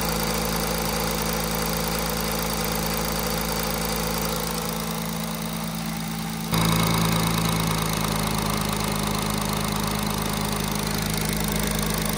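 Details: Audi A6 C8 3.0 TDI third-gen diesel at idle, before repair: light, uneven rattle and tick about four a second from cam area; loose timing chain and worn camshaft sprockets, dealer called it normal; parts being replaced.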